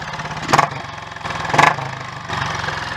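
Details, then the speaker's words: Royal Enfield 500 Bullet Electra X (AVL), low mileage with electric start: single-cylinder thumping at a fast, slightly uneven tickover with a couple of blips; idle set too high and wants turning down, otherwise running well. "Right, well the tick over obviously wants turning down, but that all seems to go pretty well actually."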